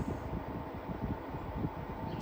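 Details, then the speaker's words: Zero Breeze Mark 2 portable air conditioner on a used smart battery pack: low uneven hum and rumble under fan hiss as the compressor kicks on (indicator turns blue) and runs steadily; normal compressor start-up. "gaining some speed yep so compressor just kicked on cuz that turned blue"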